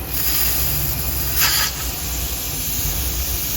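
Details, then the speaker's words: Honda Odyssey engine running with an unmetered air leak deliberately created in the intake manifold / PCV system: steady airy hiss over a struggling, uneven rumble; oxygen sensor stays lean then drops to zero volts. "As you can see, our engine really started to struggle. Still struggling to run. Our uh oxygen sensor struggled."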